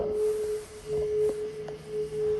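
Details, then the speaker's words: NBN fibre emergency lift phone under test: steady mid-pitched tone broken into regular short pulses, an engaged signal instead of connecting to the lift company; lift phones calling out inconsistently with muffled speaker. "you can hear it's gone into an engaged signal. Well, so something's not right with them."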